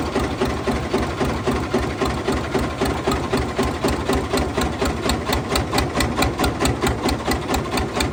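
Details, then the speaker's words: Fiat 450 Special diesel tractor on a very cold day, run after working ATF out of cylinders and sump: heavy steady knock about four a second over rough idle; later flywheel spins without the internals, crank suspected snapped. "right everybody if you haven't worked it out yet from the noises this tractor is rooted uh definitely something not right and since we made the video and it ran and it made all that awful noise"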